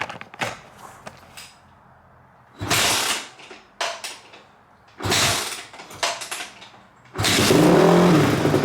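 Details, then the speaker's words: 2005 Honda CRF250X single after valve shimming, timing adjustment and carb clean (carb slightly leaky), first test fire: short revving bursts then clean steady run picking up crisply on throttle; smooth, normal running. "Oh my gosh, guys. She is smooth. She runs amazing. So smooth."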